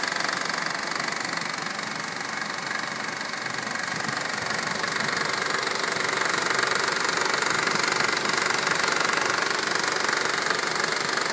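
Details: 2012 Honda Civic EX petrol, 28,500 miles, under warranty: steady, fast knocking rattle at idle, about four knocks a second. Dealer already replaced the belt tensioner and oil pump and plans to replace the engine.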